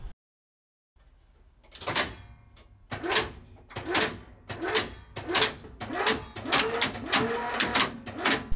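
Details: HÉV suburban train: crisp clacks and clicks arrive in bunches about every second over a quiet background. These are the contactors switching normally through the traction control.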